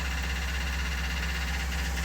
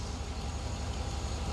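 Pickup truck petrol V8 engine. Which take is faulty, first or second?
first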